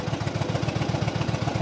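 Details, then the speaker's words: 2007 Yamaha V Star 1100, cold-blooded start on reserve fuel needing heavy throttle: even loping thump about seven beats a second, steady with no misses or clatter; healthy twin idle. "It runs. Oh, it sounds good."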